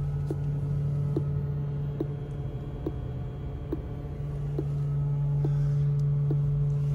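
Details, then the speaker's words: Rivian R1T driving on the road: loud steady low buzz under road noise and tyre thumps from battery preconditioning; normal battery preconditioning buzz. "not sure if you guys can hear that buzzing but that's the rivian preconditioning it's quite loud"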